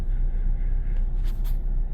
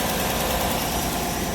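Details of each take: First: 2018 Chevy Silverado 5.3 V8 running terribly at idle: deep, uneven lumpy rumble about four beats per second with the whole truck shaking; a dead cylinder misfire, plus an unidentified noise underneath. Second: 2018 Chevy Silverado 5.3 V8 after repair: steady, even idle with no stumble, misfire fixed after dealing with a ripped part that had pulled loose; slight exhaust leak from a broken exhaust manifold bolt remains.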